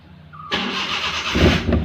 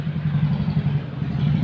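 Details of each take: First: Maruti Suzuki Omni, brought in for cranking but not starting: brief crank, then it fires cleanly at once and picks up into a couple of quick throttle blips; after repair it starts and runs normally. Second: Maruti Suzuki Omni with a starting problem: a low, steady churning from the starter with no firing or pickup in speed; the engine cranks but won't start.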